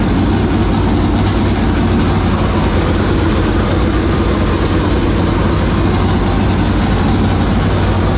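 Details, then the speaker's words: 465 cubic-inch V8 dirt race engine, first start after three years sitting and after getting better fuel pressure: a loud, deep, even rumble with no misses or knocks, "took all the air out of the room"; normal running. "it just sounds like whoa like it big it took all the air out of the room"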